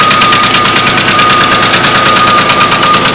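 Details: Red truck idling after finally being started (it takes time to move and won't go into park): a harsh, rapid metallic rattle at about three beats per second holds steady at idle; loud engine knocking, source undetermined.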